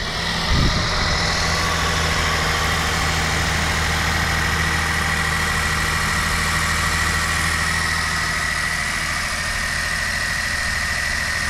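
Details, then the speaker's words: Volkswagen T-Cross automatic, 999 cc 1.0 injection petrol, 110 hp, 200 Nm, 2,000–3,000 km; rough ugly burst at start-up settling into steady fast idle with faint whistle. Normal cold start, quiet from inside. "Alors il y a un cold start qui va se calmer un petit peu."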